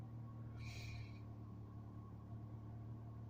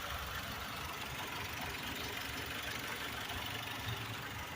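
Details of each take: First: PT Cruiser (blue) idle sits about 1200 rpm, higher than the sister car's roughly 500–1000; smooth steady hum with no misfire but fast, busy idle. Owner thinks idle should be lower, could be lowered manually or catalytic converter checked. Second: Blue Chrysler PT Cruiser idling at about 1200 rpm, a little higher than the owner expects, on the roadside while waiting for the cooling fan to kick on: soft even idle, no knocking or ticking, no smoke or overheating; working normally.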